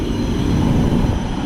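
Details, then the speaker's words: Heat pump outdoor unit at an apartment complex, running on a 97°F day: heavy, steady low rumble with a rough churning edge, sounding horrendous; abnormal loud rumbling, cause unknown. "oh geez on awful [Music] some sounds absolutely horrendous what is this oh it's this thing"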